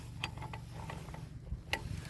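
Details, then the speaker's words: Seized scrap-car engine with spark plugs out and heated diesel poured down each cylinder, turned slowly by hand with a small ratchet. Sharp, irregular valve clicks over a low rumble show the valves are still slightly seized; the diesel is meant to soak the stems and free them. "Yes, the diesel will cool down now, but the point is this: the diesel, because I'm turning it by hand, yes, I've got sticking valves, etc., because I can hear them clicking, but it'll soak into the valve stems and hopefully free them up as well."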